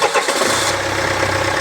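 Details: Renault Trafic 2.5 dCi diesel after replacing the failing crankshaft pulley (harmonic balancer) that caused a loud metallic rattle: the diesel settles into an even, steady idle with a smooth low pulse and no rattle or knock; normal idle after the repair.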